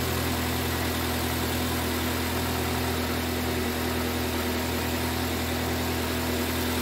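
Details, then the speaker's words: 2005 Toyota Corolla petrol engine after repair of a P0304 misfire, with the valve cover gasket replaced for an oil leak into the spark plug wells: steady, even idle with a smooth low hum and no stumble; the misfire is gone. "I can already hear that the vehicle is running okay now"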